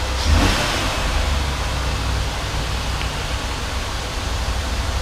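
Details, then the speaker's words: 2003 Ford Taurus 3.0 V6 after new spark plugs and wires to fix a misfire: a steady, even low rumble at idle with no stumbles or skips; runs smooth. "it feels like it's running really smooth. purring. I think it's pretty good."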